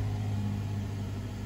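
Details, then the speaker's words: 2009 Nissan Altima after throttle body replacement, during the relearn procedure, cranked with brakes on and left idling about 20 seconds: low steady hum at constant idle speed, no hunting or surging; idle speed normal. "we're going to crank it and let it idle for 20 seconds okay so let's go ahead and do that put on the brakes cranking the car seems to be idling at a normal"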